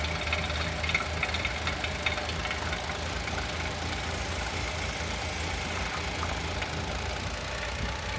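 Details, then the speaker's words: 2020 Chevrolet Onix naturally aspirated, about 4,500 km, first cold start of the morning: quick uneven tapping two to three per second at idle, louder with oil cap open; owner suspects hydraulic lifter or piston pin. "Olha como o motor bate. Parece bater no tucho ou pino de pistão."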